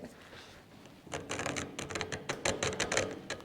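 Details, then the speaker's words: New Creworks 8x16 Chinese mini metal lathe, gears turned by hand after filing a welded seam: uneven clicks about three a second, smooth then grabbing with sharper snags where teeth catch the weld; still slightly tight after filing. "right there it grabs there we go let's go this way"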